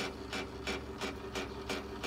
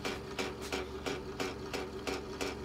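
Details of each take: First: 2005 Porsche Cayenne S power folding mirror, driver's side, after degreaser spray: rasping grind bursts about three a second as motor strains; bad gear in fold mechanism. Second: 2005 Porsche Cayenne S power folding mirror that was sticking without gear stripping, after spraying into the mechanism: motor whirs steadily with a crisp regular click about three times a second as it folds freely.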